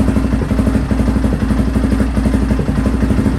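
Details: Restored Honda XR650R single idling after its first start in years, in a cold workshop by warming the inlet manifold; valves adjusted, carb rebuilt. Even thump with a clean low exhaust beat, no knocks: healthy, smooth idle.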